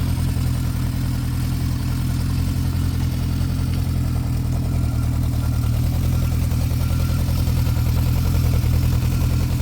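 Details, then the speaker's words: 1972 Honda CB500K1 four, about 14,720 miles, recent head gasket and valve adjustment, original 4-into-4 exhaust: even, steady low burble at idle with no misses, knocks or ticking; normal idle. "Extremely clean bike. Runs great. Rides great. Needs nothing."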